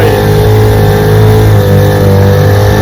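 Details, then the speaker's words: Restored 1947 Johnson HD-25 2.5 hp outboard on lake test after carb intake manifold replacement: loud, steady two-stroke buzz, no misfires or surging, pushing a john boat about 3 mph; normal running. "HD-25 1947 Johnson 2.5 horsepower. Putting along good."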